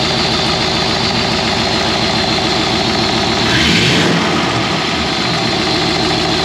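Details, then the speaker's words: Ford Crown Victoria/Fairlane V8 with 4-barrel carburetor after freeing a sticky throttle slide linkage: steady, even idle with one clean throttle blip that rises and settles back smoothly, sounds good. "get started well uh she sounds good"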